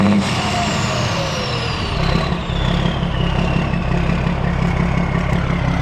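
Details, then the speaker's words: Older S Series 2300 semi truck with L10 diesel and new belt, low on fuel: even low clatter at idle with a whistle sliding down as revs settle, no knocks or misses; sounds good. "Yeah, it sounds good."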